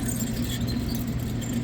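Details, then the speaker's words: Lennox AC unit with high-pressure codes on compressor 1; condenser fan motor spun by hand with unit off gives a rough, gravelly rumble and low drone, locking up one way; worn-out motor bearings, motor to be replaced. "See this guy, I turned the unit off. Definitely bad bearings. And you go the other way and it's locking up."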